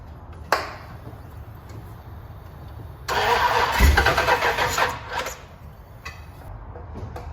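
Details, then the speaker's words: K30 Blazer just fitted with a Holley Mid Rise intake, fuel pressure holding: starter spins the engine briskly for about two seconds but it never fires. Cranks but won't start; doesn't seem fuel-related, though not confirmed. "i'm having some starting issues that doesn't seem to be fuel related um but we don't know for sure"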